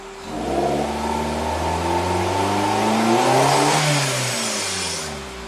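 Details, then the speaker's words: 2008 Suzuki SX4 at full throttle: revs climb, then sag near the top before dropping back. It is still hesitating but gets through the wall better than before and no longer stalls. "It's not running like complete garbage now. I mean, I'm still flooring it, but at least it goes through the wall better than before."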